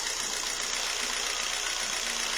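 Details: Jeep Renegade 1.4 L MultiAir2 turbo I4 with misfire codes P0300, P0303 and P0304, before repair: a steady hissy idle with a faint uneven stumble; cylinder 3 dead, no burn time on the scope, wet fouled spark plug.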